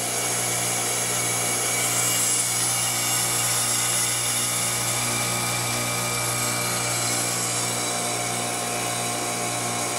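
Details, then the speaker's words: Trane XL400 2.5-ton 14 SEER heat pump with new CNT02940 two-speed fan defrost board, forced defrost test: steady compressor hum with a constant high hiss and no outdoor fan, unit in cooling mode; normal defrost cycle. "there's another reversing valve there's another TXV same components on the last video exactly all right no fan unit goes in the cooling"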